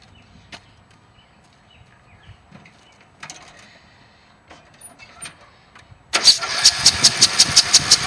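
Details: Briggs & Stratton engine on a cemetery riding lawn mower, worked on for a compression release issue: quiet, then it fires and settles into a steady, even popping beat of about three per second; starts and runs normally.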